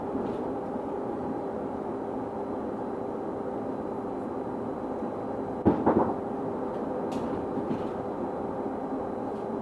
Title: Weird Noise On Constant Pitch | SLN 82060 On Bus Route N199 Part 1 (4)